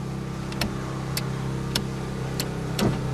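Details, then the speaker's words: VX Commodore power window switch, engine idling: five sharp switch clicks with no window motor running, window goes down fine but intermittently won't go up, then works; faulty dirty switch to be dismantled and repaired. "you can hear the clicking it's not working and now it works so try and fix that up and show you guys how to do it"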